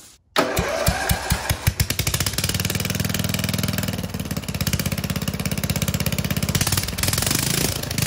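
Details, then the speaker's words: Lawn mower single-cylinder engine, muffler removed before a turbo is fitted: slow cranking pops, then sharp rapid even exhaust barks, loud and raw but running steadily. "all right well it doesn't sound great but I mean it's cool I guess"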